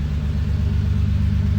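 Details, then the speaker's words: Toyota 2JZ in an Altezza, first startup with a new Comp 6767 turbo: a deep, even, low rumble with a steady pulse and no misses; idling fine, though it sounds like a fat exhaust leak. "I think it was as hard to drop on it but it sounds like it's actually idling fine"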